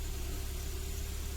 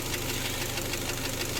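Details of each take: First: Kia Sportage G4KD engine running on gas (LPG), 150,000 km, first start after rebuild for scuffed cylinders with new pistons: smooth, low, even idle, no tapping or knocking; healthy. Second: Kia Sportage G4KD engine running on gas (LPG), 150,000 km, before teardown: steady, fast dull knocking through the idle, piston knock from scuffed cylinders.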